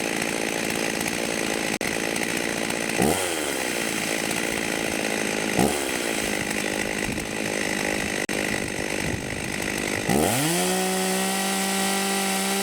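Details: Vintage 1989 Husqvarna 50 two-stroke chainsaw, sat years with old gas, after carb clean and tune-up: crisp buzz with quick throttle blips rising and dropping cleanly back to a steady idle; normal running.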